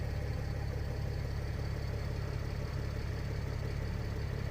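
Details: Mercedes ML320 CDI W164 OM642 diesel, no fault codes; steady even low rumble with smooth regular beat, no knocks or misses, clean idle.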